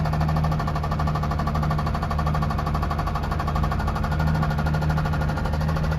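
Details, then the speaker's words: 2003 Ford F-150 with a 4.2 V6, bought knocking and found with the oil bone dry: rapid, regular deep knocking over a rough low idle on every revolution; check engine light on, and the owner suspects a connecting rod has let go. "It'll fire right up though. Don't you guys hear it? It's um hating life though. I think one of the connecting rods is already let go."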